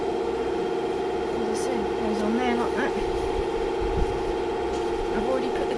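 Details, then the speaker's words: Rover P6 2000 running after its SU carburettor was removed, serviced and refitted: a steady, even engine hum at constant pitch without stumbling or misfires, so the engine is running cleanly. "so there we are a success carburetor off serviced put back on and the car running"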